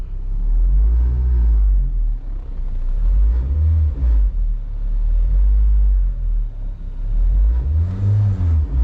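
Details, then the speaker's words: Loud vibration from a worn engine mount, heard inside the vehicle at idle and felt slightly; a deep heavy rumble that swells as the engine is revved, less noticeable in reverse. "Okay, so I don't know if you guys can hear that, but it's really loud vibration, and it's mostly heard. You can feel it a little bit."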